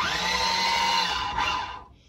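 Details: Combat robot Air Maxx with both drive motors running on a 40A AliExpress dual-motor ESC: steady, even motor whine that holds its pitch, then winds down cleanly. Motors run normally and the ESC stays barely warm.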